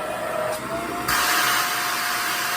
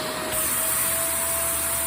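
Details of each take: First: Shark vacuum cleaner, suction diagnosis: steady motor whine rises to a higher, harder pitch when the suction is closed off. That extra pitch indicates a clog; this section tested clear. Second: Shark vacuum running during suction-line diagnosis: smooth, constant airy rush with steady mid-pitch motor tone, no surging or whistling; this unit has no suction problem, motor and airflow sound healthy.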